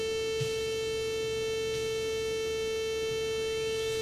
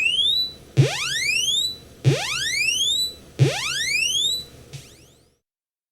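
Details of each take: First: here's what it sounds like on a 64 that works but has a bad sid chip or something going on with the audio [Music] you hear that tone in the back already right that constant tone Second: Commodore 64 running the One Page SID benchmark after its bad 6581 SID chip was swapped for one from a dead C64: clean rising chirp sweeps repeat about every 1.3 seconds, then stop; sound output restored.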